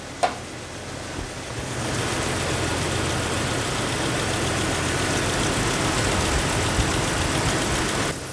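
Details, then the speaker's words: 2000 Jeep Wrangler TJ, first run after engine rebuild with new head gasket, fan shroud broken: steady, even idle with soft exhaust rumble, no knocks or misses, though it is smoking. "This is great, though. Check that out. Purring like a kitten."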